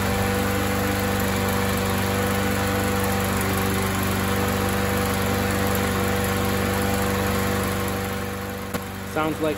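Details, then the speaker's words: MTD 21-inch push mower, 140cc Chinese-made single-cylinder engine, revived after sitting a couple of years: after carb spray and priming it runs with a steady, even buzz at constant speed, no misses or surging; running normally. "all right let's give this another shot oh that sounds good I'm liking that already"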